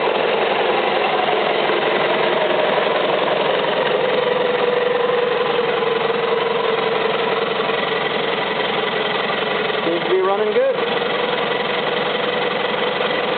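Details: Isuzu 4BD1-T diesel on first start after owner's first rebuild, run briefly without cooling water before fitting to an FJ60 Land Cruiser; steady, even diesel clatter at settled idle, no misses, knocks or hunting; healthy.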